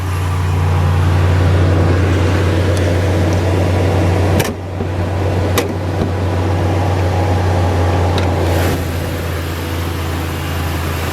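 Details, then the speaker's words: Rebuilt salvage 2014 Ram 2500, 5.7 Hemi V8 with new alternator, power steering pump, AC compressor, idler and belt, no warning lights: steady low even idle rumble with no knocks or squeals; healthy idle. "fires right up sounds good has the nice hemi rumble"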